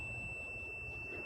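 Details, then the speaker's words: 2017 Jeep Cherokee, no-start with code P0688 ASD/main sense circuit even after programming a new PCM; multimeter continuity check on wiring from fuse block to splice gives a single steady high beep, circuit closed, resistance a bit low. "now you can see this beeping and it's working and the resistance is a bit low"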